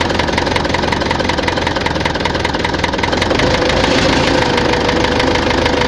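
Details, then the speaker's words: Tractor diesel at rough idle with heavy steady knocking three to four a second; heard at idle and mid revs, not high; fuel pump and injectors ruled out; head fine, cylinder 4 badly worn. "Щось у тракторі стукає. Топлівний возив, форсунки возив, не воно. Що? Буду розбиратися."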